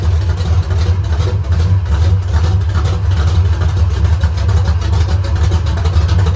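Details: Rebuilt V8 on straight open headers at first start, idling low; loud with busy rattly clatter riding the beat, eases with rpm; valve lifter rattle, lash to be rechecked, lifters maybe not pumped up yet.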